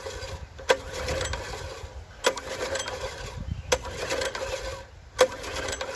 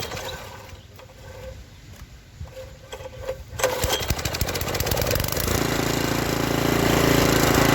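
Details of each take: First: Seized junkyard Briggs & Stratton tiller engine (owner thinks 5 hp), spun over by hand with the valves not opening. Slow, even turnover with a sharp click about every 1.5 s and no compression resistance. A stuck valve is found while the camshaft still turns. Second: Revived junkyard Briggs & Stratton tiller engine (owner thinks 5 hp), once flooded and seized, after a stuck valve was freed without a valve adjustment. It fires up and settles into an even, steady putter, sounding better. Owner may still adjust the governor.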